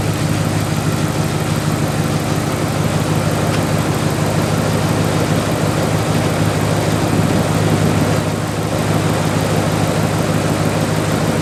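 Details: 1997 Dodge Dakota 5.2L V8 2WD after water pump replacement; steady, even low rumble with no knocks or ticks, holding a smooth settled idle; normal idle.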